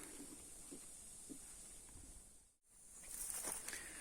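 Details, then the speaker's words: Garden water hose bitten by wild boars, re-joined by hand: steady high hiss with faint patter of water spraying under pressure at two repaired connections; water leak at hose joint. "şimdi Yukarı çıkıyorum iki bağladığım yerde olmamış su kaçırıyor bir daha yukarı çıkacağım kapatacağım bir daha uğraşacağım"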